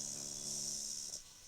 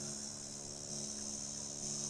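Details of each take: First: Old Sony music system with added USB/Bluetooth/FM module fed at 10 V: steady low buzz with hiss cuts out abruptly once an earth wire is connected, leaving amplifier quiet and clean; hum fully gone. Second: Old Sony music system with added USB/Bluetooth/FM module fed at 10 V: low steady mains buzz with faint hiss, no music, before adding an earth wire; ground-loop hum, cured by grounding the module.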